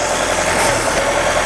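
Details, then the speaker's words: 1958 Jeep CJ5, previously cranked but wouldn't start, fuel sprayed into intake to keep it running: steady, even engine note with no stumble, sounds smooth and not missing a cylinder; normal running, fuel-supply issue suspected. "Actually sounds really good, though. What do you guys think? Sound good?"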